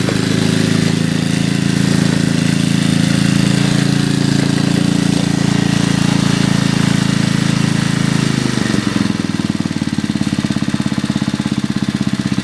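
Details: 1981 Briggs and Stratton single-cylinder on a garden tiller, after a carburetor rebuild, air cleaner off: runs smooth and even at a steady speed, then settles lower without stumbling. A healthy 40-year-old engine running well.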